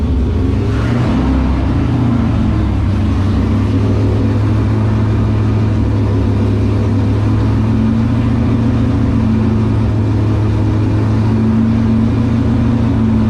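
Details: LS7 V8 in S14 competition car, first start after about 3 months sitting and an oil change with 10 litres, run to build oil pressure before priming the accusump: deep, steady burble at even idle, no knocking, ticking or misses; normal.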